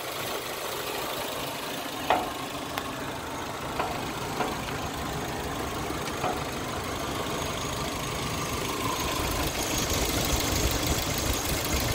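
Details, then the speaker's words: 1996 Geo Tracker, after radiator fan clutch work to fix overheating at idle; engine idling then revved, steady fan whoosh now audible and blowing about twice as much air; cooling fan working properly. "just blowing twice as much air at idle twice as much air and now when I rev it up too it makes the fan sound you can hear the fan before you couldn't so good to go"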